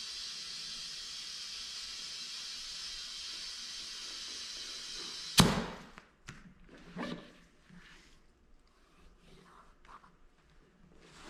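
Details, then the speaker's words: Inflating Hoosier QuickTime Pro 26x11.50-15 tire with inner tube on Weld V-Series 15x8 single beadlock wheel, around 15 psi: steady airy hiss about five seconds then sharp snap; owner thinks tube expanding pushes air out, probably not a leak. "I think it's like the tube expanding and pushing the rest of the air to the tire out."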